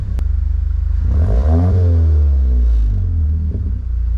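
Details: 2021 Mazda 3 Turbo after CorkSport 80mm cat-back exhaust install and bolts retorqued: engine catches, swells into a deep steady rumble and settles to an even idle with no rubbing or rattle; normal start-up and idle.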